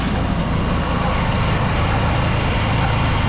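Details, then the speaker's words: Honda Supremo motorcycle riding with loud, constant metallic grinding from the chain and engine sprocket area; worn sprocket set and stretched chain, replaced. "so narinig niyo naman yung napakalakas na ingay so hindi ko alam kung saan nangagaling yun mga idol no Pero dito sa may part ng engine sprocket"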